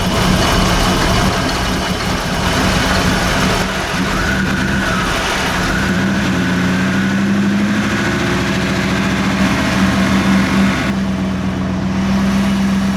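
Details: 1988 Chevy Camaro IROC Z28 after jump start for no-start (clicking) due to six-year-old battery, alternator output 14.25 V: steady even idle, smooth low hum, slight rev, no misses or knocks; normal idle.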